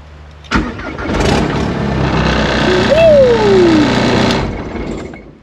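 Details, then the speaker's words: VW Caddy pickup, barn find, TDI diesel swap, first start using original relay/fuse box: cranks and catches into steady diesel clatter, turbo whistle rising and falling, louder with short temporary exhaust tip fitted; normal start and turbo spool. "Yes! Did you hear that, turbo? Oh, but my neighbor's over there, so don't act like a little kid, but holy crap."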